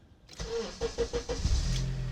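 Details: 2005 Honda CR-V after ignition switch replacement, fixing a buzzing noise when starting: four or five quick starter cranks, then the engine catches at once and settles into a steady idle.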